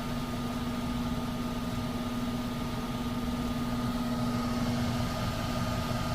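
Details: 1999 HVAC unit, about 25 years old, 3-ton: blower runs with a loud steady hum and rough shaky rumble, visibly vibrating; options offered are replacing the capacitor, the blower motor and capacitor, or the whole unit.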